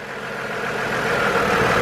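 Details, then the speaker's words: 2002 GMC Envoy petrol engine idling rough with no power, code P0303 cylinder 3 misfire; with another coil unplugged as a test, two cylinders are dead, giving a rough, uneven idle. "all right our Miss file is on number three which means we're going to listen to the way the engine's running right now I got a misfire"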